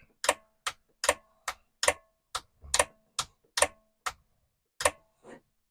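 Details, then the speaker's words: Commodore 1525 dot matrix printer (Vic-20/C64), long-stored, test switch on but not printing: sharp irregular ticks about once a second as the carriage jerks and jumps instead of travelling; owner suspects a tight or misinstalled ribbon, not confirmed. "I turned it on and it did move it's making noises and it's jumping a little bit every time I do this so I'll keep doing it"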